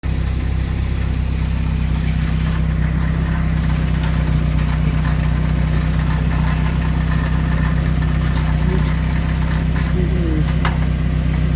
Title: 2001 Saab viggen rattling noise from exhaust heat shield